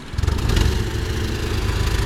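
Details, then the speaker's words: Honda CR-V that gradually ran rougher until undriveable, check engine light with Catalyst Bank 1 code, raw fuel smell: deep, lumpy idle stumbling and surging, suspected blown exhaust gasket; rough idle, suspected clogged catalytic converter. "All right, so that don't sound good. And it sounds like a blown out exhaust gasket. I can smell just raw fuel dump in there too. It sounds like your exhaust might be clogged."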